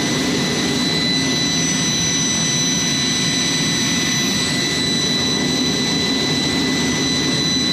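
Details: Jet's J79 engines on a ground run after leak repairs and refuelling: steady roar with constant high whistling tones, no surging or rattles; clean normal idle, successful run.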